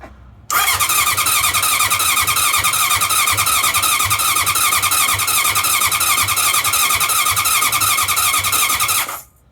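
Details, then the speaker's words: 1981 CV750 motorcycle, non-starter, with a new battery fitted, gas on and kill switch set: about nine seconds of steady whirring starter churn, engine spinning over evenly but never firing. Cranks, no start. "She works. She don't run. She works. She spins over."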